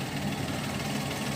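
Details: Daihatsu Naked turbo 4WD automatic kei car, recorded from underneath while running: quiet, even idle with steady low hum and no knocks or ticks; engine running normally.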